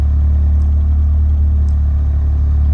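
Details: Honda B20 engine in Civic wagon after replacing the IACV, setting TPS voltage and readjusting the throttle cable: deep steady even hum, no hunting or surging, idling a little over 1,000 rpm instead of stuck at 1,800; normal idle.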